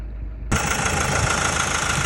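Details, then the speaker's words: Low-mileage Mazda CX-5 Skyactiv with long oil change intervals, cold idle, recorded from underneath near the oil pan and timing chain: light, quick tapping rattle; stretched timing chain suspected, not confirmed; vacuum pump checked fine, oil sludge later found under the valve cover. "It is a little tapping noise, and now I'm going to step out the car and listen from the oil pan side, from the timing chain side, but from underneath, from the oil pan, and I'll hope I'll be able to catch it on the camera."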